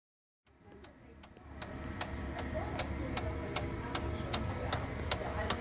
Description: Sharp MX6240N or MX7040N with loud ticking or knocking noise specifically during idle (not during a copy mode).